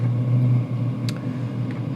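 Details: 5–8 kW diesel heater during air-fuel ratio tuning with an AFR gauge, low power setting not yet tuned: steady low drone with an uneven hum underneath, running rough and noisy at low setting.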